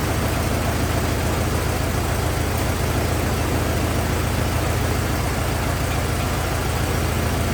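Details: 1927 Ford TT truck, on battery ignition, choked after restart; low, steady idle near two beats per second, no knocks or misses; oil leak seen, owner suspects loose hogshead inspection cover; good runner, normal idle.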